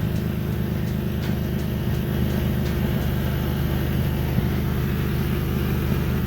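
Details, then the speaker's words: Exhaust leak at the start of newly installed aftermarket test pipes: steady idle with low, even puffing chuff, exhaust gas felt escaping at the pipe joint from the top and both sides. "yep and if you put your hand by the uh where the exhaust is coming from you should be able to feel exhaust gas is pushing out and that's what i'm feeling right now"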